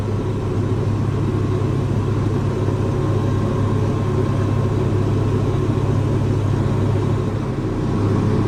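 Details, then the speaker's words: Diesel tractor that had gone into limp mode (stuck at 1500 rpm, then died), after draining water from the fuel strainer and water separator, adding biocide and fresh diesel: steady, even rumble with no stumbles or misses; running much better. "but I'll clean that one more time but it's going running much better now"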